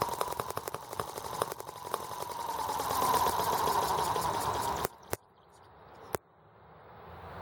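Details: R18 model engine on its first start with a replacement Hall sensor harness; ignition seems to be working properly. It crackles and fires unevenly with misses, then cuts out with pops; it runs rough with new balance issues.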